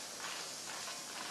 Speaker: so do is turn off the machine and then a little release valve in the very front you just undo that and then you'll hear a hissing noise and that's the air releasing from all the section cups there we